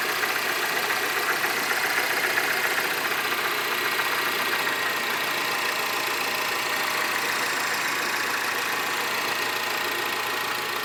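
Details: Mini Cooper S R56 cold start: fast, even metallic ticking and rattle over a thin high idle; the owner asks whether this engine noise is normal.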